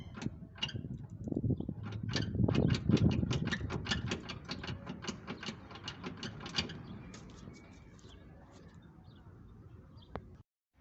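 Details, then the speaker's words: Car front wheel rocked by hand: quick metallic clacks, about three a second, from the control arm, whose roughly 4-inch bolt fell out; a rod was temporarily fitted in its place and a replacement part has been ordered. "ruido es provocado porque aquí lleva una una tuerca como de 4 pulgadas no es una tuerca Perdón es un tornillo como de 4 pulgadas ese tornillo se me había caído se me perdió"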